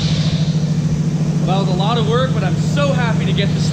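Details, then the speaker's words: 1955 Chevy truck engine, first start after distributor reinstalled and meshed with oil pump drive, fed from a rigged gas can, not yet timed; steady even low beat about three pulses a second, no missing; running healthy. "running it sounds good getting a little bit nervous about it because supposedly it was supposed to be a good running motor but I was a lot of trouble to get a motor running but it sounds great"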